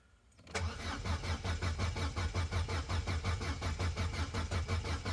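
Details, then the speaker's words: Corsa B that sat neglected for 4-5 years, cranking at a slow, steady rhythm with the pump circuit bridged. There is no firing and no fuel pump whine. It cranks but won't start; a failed fuel pump is suspected. "foreign still no noise from the pump it's frustrating"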